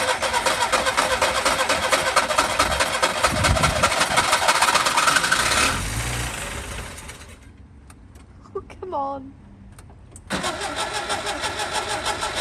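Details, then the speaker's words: Skoda Favorit Forum petrol engine, not started since 2001 (about 20 years), on distributor cap, rotor arm, HT leads and plugs: needs full throttle to start, then runs rough at about 2,000–3,000 rpm half throttle and sags near idle; old fuel still in tank. "so it starts you need full throttle to start it and then it'll stay on if you're on about half throttle you you know keep it about two or three thousand revs it stays on fine"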